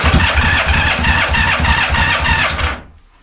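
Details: Honda CB450 Black Bomber, cold start on choke with idle stops set, checking a possible cam chain rattle: loud, blatty idle firing evenly with no top-end rattle, then shut off; healthy cold start.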